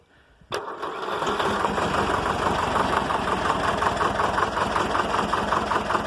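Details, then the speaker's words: Air-cooled Deutz diesel in neutral: it catches instantly, then idles down to about 200 rpm with a slow, even knock like a cuckoo clock; steady and healthy. "listen to that thing idles down like 200 rpm"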